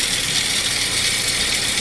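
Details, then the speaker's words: Jeep Patriot with brand-new battery and alternator, towed in, only 11 volts: steady, hissy, high-pitched rasping rattle under the running engine from the new aftermarket alternator, diagnosed as failed; noisy alternator. "Aside from the noise, that is a giveaway within itself. the alternator making that noise."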